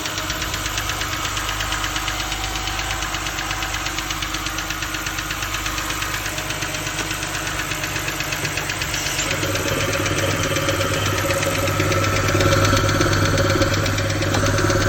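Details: BMW 328ix idling with a steady knock about twice a second that grows louder as revs rise; owner suspects rod knock, unconfirmed.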